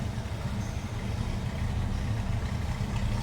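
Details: 1964 Chevrolet C10 Custom Cab V8 just after a cold start: low steady rumble at idle with even pulses, no misses, ticks or knocks; running smoothly, normal idle.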